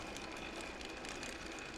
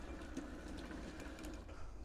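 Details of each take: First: 1/6 scale Armortek Hetzer Jagdpanzer 38 tank, 24 V, road test: even drive whir with soft steady track-link patter, no binding or grinding; noise is road wheels moving on their springs. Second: 1/6 scale Armortek Hetzer Jagdpanzer 38 tank, 24 V, first track road test: quiet steady motor whirr with light chatter and sharp clicks; track slightly binding on drive sprocket, owner thinks a link must come out.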